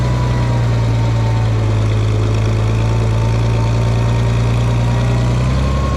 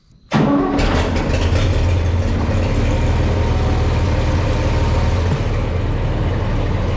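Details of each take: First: Farmall 460 tractor, rebuilt engine, after upgrading to electronic ignition, test run to charge the battery: steady, even low drone with no misses or knocks, running cleanly; owner thinks timing advance may be slightly off but runnable. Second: Farmall 460 tractor, rebuilt engine, old ignition before electronic ignition upgrade, newer rotor swapped back in: fires up into a loud, uneven, lumpy idle that sags as if about to die; not running right, too poorly to move.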